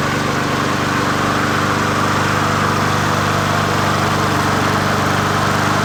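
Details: 20" Murray push mower #20201D after straightening its wobbling crankshaft and cleaning: an even, continuous single-cylinder drone at steady speed with no knocks or misses, running smoothly; the owner notes it could be low on gas.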